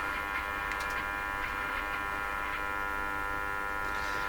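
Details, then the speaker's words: Stromberg Carlson 561 tube radio, front-end investigation during alignment: steady low buzzing hum with no modulation or program audio, the noise making the AVC quiet the radio; cause not pinned down, a failing tube suspected. "through this sounds like a loud strong signal but I guess it really isn't because the noise is causing the AVC to quiet the radio and we're hearing this buzz go down"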